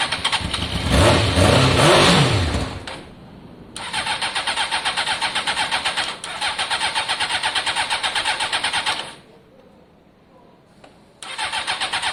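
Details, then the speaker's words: Honda CBR600 F4i, long-standing non-runner, fuel-injected: cranking catches on spray and fires in short steady bursts, then dies each time; engine okay but fuel lines need clearing, no fuel getting through. "oh i think we know we've got an engine here that's okay but until we can clear out out all of the fuel lines and make sure fuel's flowing there really is nothing we can do you heard it start there on the spray alone"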